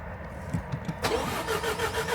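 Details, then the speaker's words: Nissan Qashqai 1.2 DIG-T engine cranked to build oil pressure, coil packs out, after timing chain and failed VVT sprocket replacement; starter spins engine evenly at several beats a second with no knocks or clatter, healthy cranking. "Sounds good to me. Yeah. Singing nicely, which is good."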